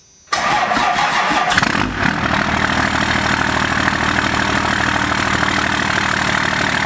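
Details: First-gen Cummins diesel truck on a cold start after sitting three months: brief crank, then it catches at once and settles into a steady, even idle with no misses or knocks; normal cold start.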